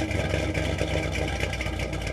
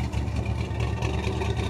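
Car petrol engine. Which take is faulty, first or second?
second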